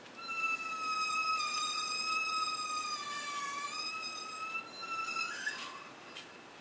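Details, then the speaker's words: Rear wheel jacked up and spun on a heavy vehicle: steady piercing squeal as the worn brake pad's metal wear-indicator tab scrapes the rotor; pads have about 30,000 miles. "I noticed the pads are worn down where the warning tab on the pad is scraping along the rotor so let me show you what that sound is that I'm hearing"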